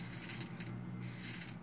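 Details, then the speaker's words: CD/DVD-ROM drive spindle motor spun up: low steady hum with light metallic rattle from balls moving inside the metal balancer case; normal, not motor wear. "it makes this noise and it's not accidental it's not that this motor is worn out there's like a metal case here and i think inside of it there are bearings or or something like that so if you spin that these bearings kind of move around"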